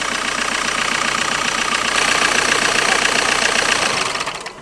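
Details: Car engine running: quick, fairly even metallic rattle, about four taps a second, worse when revved; suspected wobbling auxiliary belt pulley, thought to be something simple.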